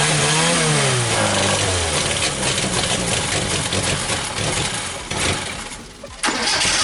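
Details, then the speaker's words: 1974 SEAT 127 three-door, first start after more than two decades, fed from a fuel bottle to the carburetor: brief cranking, then it catches, revs and settles to a fairly even run with one short dip; engine runs and sounds healthy. "Vous l'avez déjà vu démarrer avec une bouteille d'essence branchée, le moteur marche bien, ça sonne bien, etc., mais bon, il fallait mettre le carburateur."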